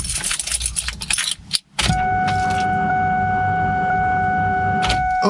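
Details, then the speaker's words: Car newly fitted with a Whipple supercharger and three fuel pumps, still on a ported-Eaton tune, before a cold start: after a key jingle, a steady electric hum with several clear whining tones holds evenly. Normal fuel pump priming. "listen to these freaking fuel pumps priming listen to this this is insane"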